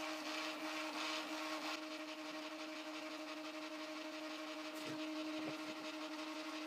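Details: Prusa i3 MK2 3D printer during XYZ calibration, head moving between the four calibration points: quiet, steady stepper hum with a faint whine, smooth and even, no grinding; normal stepper motor motion.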